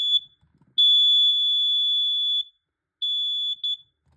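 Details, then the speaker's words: Carbon monoxide/gas detector set off by smoke test spray on a repeat, covered try: shrill high-pitched tone, one long blast then shorter chirps. Afterward its display read 250. "That way, yeah, so if you actually have your smoke spray and you see this detector, test it with the smoke spray. It actually works"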